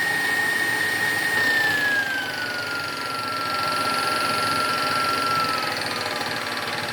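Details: KitchenAid stand mixer running with a high motor whine and a faint, fairly regular clicking about four times a second; the owner is unsure whether the clicking is normal. Clicking noise while running.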